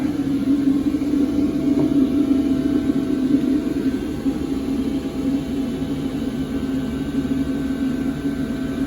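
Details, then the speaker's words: New LF Bros diesel air heater in a toy hauler RV, powered by a 4Patriots solar generator, with a muffler on the exhaust: a steady even fan rush over a low combustion hum, no knocks, surges or sputter. Quiet, running normally. "it. It's really not that loud."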